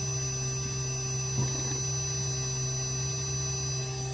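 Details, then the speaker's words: Carrier inverter AC compressor driven by its PCB in a bench test, stable at about 154 V and 195 Hz: an even hum with a constant low tone and a faint high whine, no knocks or surges. Running smoothly. "பாருங்க, மறுபடியும் இப்போ increase ஆகுது speed. உங்களுக்கு சவுண்டை வச்சே தெரியும்."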